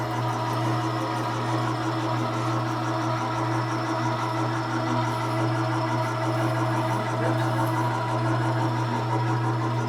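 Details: 1970 Harley-Davidson XLCH Ironhead Sportster, kickstart rigid bobber build, after a blue object was found in the carb float bowl and oil added: even low twin throb holding steady, no misfire, stumble or knock; running properly.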